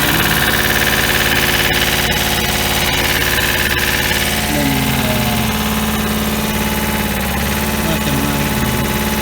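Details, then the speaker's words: 1988 JLG 30HB manlift with replacement 2-cylinder Hatz diesel, about 972 hours, started from ground controls: starts right up and idles with a steady, even chug, firm regular beat, no knocks or misses. "Yeah, I'll start it up here so you can hear it run here. And I got this turned on. I did have it set for the platform, so we'll switch it to ground. And starts right up."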